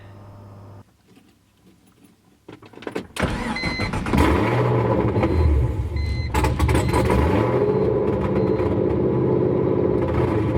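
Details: BMW E46 LS3 V8 swap first start on open headers after priming fuel: after a pause the V8 catches first try and settles into a loud raw steady idle; first attempt had cut off.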